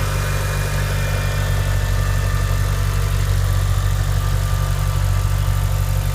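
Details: Mitsubishi Evo IX cold start: deep steady cold idle with a smooth even beat and none of the ticking/tapping heard when the engine is hot; normal cold idle.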